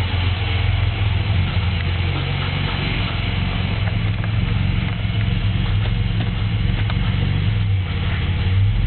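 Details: 3.8 engine with no misfires, no knock retard, no shavings in oil, 55 psi oil pressure: deep, steady thudding under a rough idle that began as a loud tick and became a knock; turned out to be a spun rod bearing, again.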